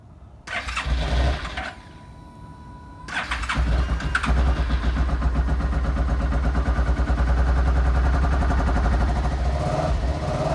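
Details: 2017 Suzuki SV650 twin, crashed stolen-recovered auction bike with about 1,885 miles: starter whirs, engine catches on the second try and settles into a steady, even idle with a clean beat; normal start and idle.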